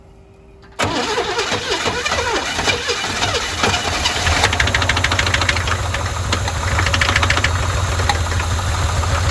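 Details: Neglected, previously vandalized 1981 Chevy K10, first start after hooking up the fuel pump, with a fuel leak and some backfiring: it cranks and catches, then idles roughly with an uneven ticking clatter; the owner suspects a valve train issue.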